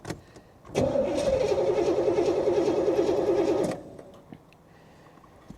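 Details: 1985 Chevy Corvette C4 cranking after priming, fuel rail heard, battery getting low; starter spins with even, rapid churn for about three seconds then stops without catching; cranks but won't start.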